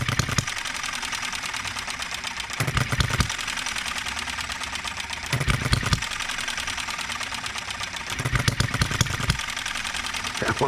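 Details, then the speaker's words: Enjomor 6cc hit-and-miss model engine on a cart, first run after lowering the fuel tank and turning the carburetor, during governor, ignition and valve timing tuning: irregular firing bursts with stumbling beats; stutters, not running right yet. "to stutter sometimes don't it"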